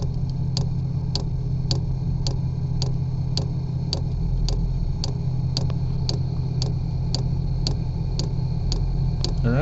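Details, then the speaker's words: New 5 kW 12V diesel air heater installed in truck bed, first start: steady light ticking just under two per second over low heater fan drone as diesel is drawn toward the unit. Normal fuel pump priming. "oh it's pumping [Music] huh so right now it's pumping see the diesel right there we can wait for that diesel to get inside the"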